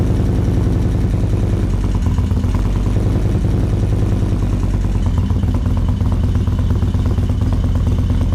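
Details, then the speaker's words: 2024 Indian Roadmaster with ThunderStroke 116, first start after installing Lloydz 585 cams and before the flash: loud cold V-twin idle with a light, fast valve train clatter. "Train is noisy. I don't remember my valve train being that noisy when I put my 585s in, but then again, my exhaust is so loud you probably don't hear it."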